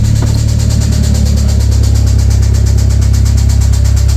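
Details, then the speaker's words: 1996 Talon with DSM 420A engine, about 140,000 miles, sat 1 to 1.5 years on stale gas: rough idle with a steady low knock about three times a second; owner suspects a rod bearing or something dropped onto a piston, before teardown. "now so you can hear it it sounds pretty rough pretty rough I'm thinking either something dropped on top of a piston or rod bearing I don't know"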